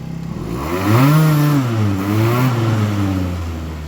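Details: Aprilia SR50R Piaggio DiTech scooter, nearly 20 years old, after throttle position sensor reset; engine climbs cleanly to full throttle, holds, eases back without stumbling or stalling as it did before; normal revving.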